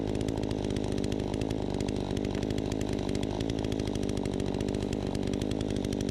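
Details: Troy-Bilt 20-inch chainsaw cutting after carb adjustment, started on choke: a strong, steady two-stroke buzz holds revs without bogging or surging. It runs properly, like a new saw; the owner thinks a bit more RPM is possible.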